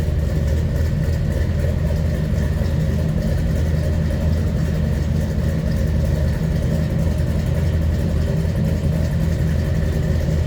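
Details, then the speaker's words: 1972 Chevrolet K10 4x4 with a 350 V8 and automatic transmission: a deep, even V8 burble holding a steady idle with no knocks, misses or ticks; normal healthy idle. "a nice sounding 350."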